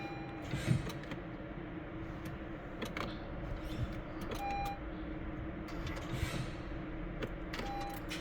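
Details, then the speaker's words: 2015 Honda Civic Si that won't start: a few sharp dry clicks at uneven gaps, with no cranking and no engine catching (clicks but no start). "all right if anyone have the same problem please let me know car click but won't"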